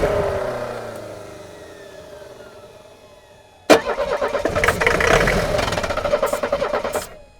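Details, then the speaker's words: 1984 Mercedes 300SD turbo diesel, first start in years: starter churns, engine sputters with uneven chuffs and dies; injection pump not delivering enough pressure to pop injectors, lost diesel prime, fuel starvation. "so the fact that it wants to start and run on this and then immediately die means that it's not getting fuel enough fuel from the injection system"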